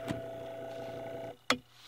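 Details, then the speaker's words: 1895 GE antique fan after stator rewind, on high at 120 V drawing about 0.67 A: smooth steady hum with clean single pitch, no rubbing or ticking, then cuts off; runs normally. "i've about there it's still running fine"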